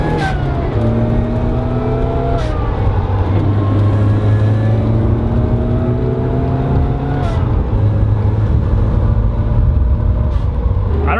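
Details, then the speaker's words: Supercharged Mazda Miata on a test drive after relocating the throttle body and fitting a blow-off valve plumbed to the intake manifold. A loud supercharger whine rises and falls with revs, and the valve gives sharp hissy puffs on each throttle lift; both work normally. "everything is so dang loud now like the ball off and the wine so loud if you ever wondered what a supercharged Miata with a blow-off valve sounds like that's what it sounds like"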